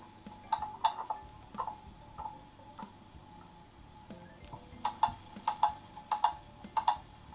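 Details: Beat amplifier on German mantle clock after crutch and pallet adjustment (had stopped after running down while owners away), movement wound, pendulum bob refitted: crisp ticks about ninety-five a minute, clear over quiet room, clock running normally.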